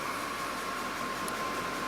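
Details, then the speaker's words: Ford F-150 with no-charge condition and PCM-controlled smart charge system: after reconnecting the alternator, engine started and alternator whistles steadily around 1 kHz over soft engine hiss, working hard to recharge a flat battery. "so everything is hooked back up now alator plugged in I'm going to go ahead and start it I hear the old elator out there whistling away"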